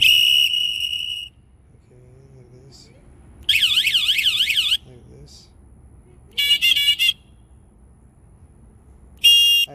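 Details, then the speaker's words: Newly installed electric horn on a pocket bike: loud bursts switching between a steady tone, a fast warble and a rapid chirp, every mode strong and clean; normal horn operation. "so let's test it go ahead and press see this is pretty loud"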